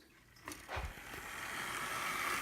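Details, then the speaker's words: Athearn U25B Chessie System model locomotive on test track after repair: handling clicks, then motor spins to light even whirr with faint high whine, no grinding; much quieter, runs smoothly, earlier grinding noise fixed. "Okay, it's definitely much quieter than it was not that long"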